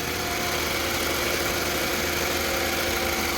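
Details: 2005 Toyota Camry 2.4L idling after fuel injector and fuel rail replacement: steady even idle with no stumble or miss, light even hiss over a low hum; normal, healthy idle.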